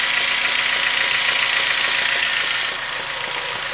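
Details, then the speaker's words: Acura RSX Type S petrol engine, no knock on cold start but at normal operating temperature idles with steady quick knock about three to four beats a second, audible when revved; cause unknown. "this is um on regular cold start doesn't knock but as soon as you get to normal operating temperatures um it knocks and stuff but then um when you rev it you can see you rev it pass you can hear it i'll show you okay making that knock noise"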